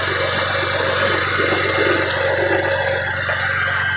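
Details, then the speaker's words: 1992 Ford Taurus after a tune-up, new distributor and O2 sensors, revving with a loud raspy exhaust drone; owner suspects a leak at a pipe flange, a hollowed catalytic converter, or just a very loud muffler echoing under the car. "it just sounds different because the muffler is very very loud or maybe just echoing under the car"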